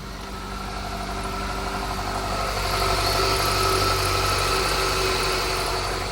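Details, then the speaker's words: Nissan Altima 2.5 L idling after a new starter replaced the original factory one, following a no-crank no-start: smooth even idle, hum rises slightly with some RPM and holds, no misses or knocks; healthy. "see we're started up just like that give us some RPM just so you can believe as you see RPM needle moving car is definitely on"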